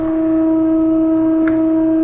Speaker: I put in a fault, and that's something to remember. By cranking down that speed control too much, I prohibited the flow back to the tank, and it really couldn't control its load.